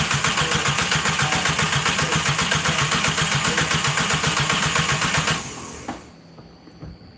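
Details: Starter turns a newly installed engine over at about four even compressions a second with no firing, then stops; unsure whether the fuel feed and return lines are plugged in correctly; an unbolted valve cover later leaks oil at the back of the head.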